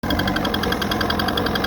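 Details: Evinrude 88 SPL two-stroke outboard with a remanufactured powerhead, 10 hours on it and broken in per instructions: fast, steady metallic ticking at a fixed rate over the running engine since the swap, not going away; cause unknown.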